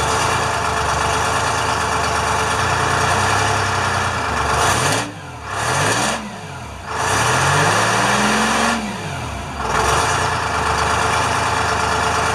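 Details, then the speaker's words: International firetruck with a Detroit diesel, after a ground cable repair and new batteries, just started with good oil pressure. It idles under a loud air-leak hiss, takes several clean throttle blips and returns to an even idle, running healthy. "and then it started right up good oil pressure we'll let it run for a second and we'll flip the throttle and let it"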